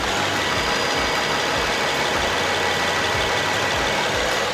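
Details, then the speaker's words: 2016 Infiniti QX50 AWD, 49,047 km, idling with the bonnet open: a smooth, even hiss-like hum with no ticking, knocking or belt squeal; a quiet, healthy engine. "자 이렇게 지금 영상에서 듣는것 처럼 세계 10대 엔진에 선정된 엔진인 만큼 정말 조용하고 정숙함을 더해주고 있는 차량이구요 엔진 잡음이나 벨트 잡음 하나는 없이 정말 최고의 컨디션 잘 알고 있습니다"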